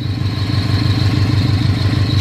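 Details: Scion FR-S idling: thin, steady high-pitched whine over the engine from a throw-out bearing that failed on the road; transmission to be dropped.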